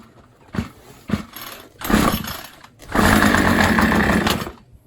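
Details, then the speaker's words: Troy-Bilt two-stroke string trimmer, choked and primed: a couple of cord pulls, a sputter, revs about a second and a half then dies; carburetor air leak means it cannot draw fuel. "So we'll give it a little bit of help first, but I can almost guarantee 100% this is not going to start because of that. Too much air."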